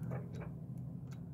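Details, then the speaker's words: RV slide-out motor clicks faintly but never moves, heard under engine idle (engine must run, parking brake set); breaker and 10 A fuse tested good; in/out slide control switch tested and found bad. "you can see nothing you can hear it the motor's clicking"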